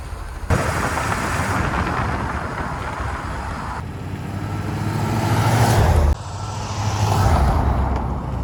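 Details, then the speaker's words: 1981 Chevrolet Corvette barn find, after 30 years sitting, driving after new spark plugs, filters and oil, radiator still needing replacement: deep steady engine note rising and falling smoothly through acceleration and shifts, no misses or knocks; driving awesome, normal. "guys she's driving awesome this is something that can already check mark"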